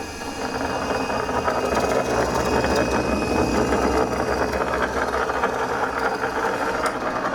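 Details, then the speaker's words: Laguna Pacifica pottery wheel after repair and belt adjustment: steady motor run with rough uneven rumble pulsing about twice a second; hub bearing suspected dry and going bad, seems tight, owner plans oiling or replacement. "I think we're going to be back in here at some point though um because it sounds like this bearing in here is going bad which I kind of thought it might be"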